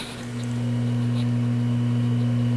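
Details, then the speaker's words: RPC Airmaster valve radio with Bluetooth, microphone moved next to it; steady low mains-frequency hum, otherwise quiet. A mild residual hum the owner hasn't worked on; the radio separately has an intermittent crackle. "it has a tiny little hum which i haven't bothered to to uh to work on"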